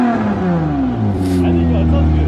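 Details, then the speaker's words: The slammer, loud after the winter break, owner suspects a newly developed exhaust leak: loud raspy exhaust note as revs fall away, harsher than stock. "this thing is running so loud now I guess over the break or something is developed an exhaust leak and just sounds like a beater"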